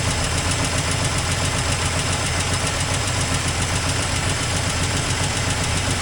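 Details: 1984 Toyota Land Cruiser FJ60 first run in many years: loud, uneven idle with a rapid chuffing patter of about three to four beats a second. Rough after long storage, exhaust leak noted.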